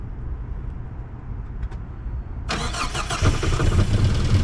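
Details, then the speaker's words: Mazda B2200 truck, first start in 20 years after fitting a new Weber 38/38 carburetor, throttle cable not yet connected: quiet cranking, then it catches and settles into a steady low idle without surging; the old seized carb made it rev high. "All right, and there she is. She runs. Woo! She runs, guys. She runs."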